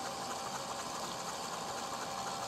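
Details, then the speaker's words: Commercial zero-turn mower engine flooded with water through a broken intake manifold, cranked with spark plugs out to blow out WD-40 and water; fast, even whirring starter spin with no compression pulses. "and now I'm turning it over blowing out all that WD-40 and water"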